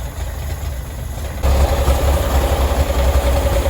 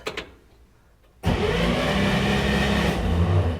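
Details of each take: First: 1965 Chevrolet Corvair 110 Monza, sitting 13 years since 2008, suspected flood car, first start on starter fluid: deep uneven rumble with irregular stumbling; runs badly from a vacuum leak and flooded carburetor. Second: 1965 Chevrolet Corvair 110 Monza, flooded and sitting 13 years, spark plugs out and cylinders fogged, just fitted with a new starter: fast, even cranking whirr, no grinding or clatter; starter healthy.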